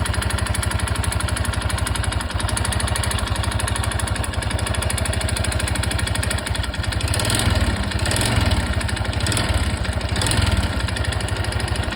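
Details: Honda Super Cub 110 JA07 engine: small single chugs at a fast, even idle with a faint tapping over the exhaust beat; abnormal engine noise, cause unclear.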